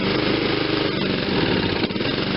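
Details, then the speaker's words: Honda HRR216 21-inch self-propelled mower with smart drive variable-speed transmission, single-cylinder engine just moved off full choke: uneven, lumpy chugging as it struggles and wants to die, likely burning off old gas; cause suspected, not confirmed. "wants to die let's give it a minute to get rid of some of that old gas"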